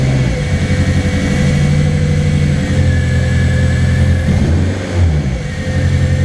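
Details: Race car engine, after a week standing: lumpy idle holds, then sags and stumbles before recovering, dropping further when given gas; owner suspects tank vacuum when warm makes fuel pressure disappear, not confirmed; idle speed dropping.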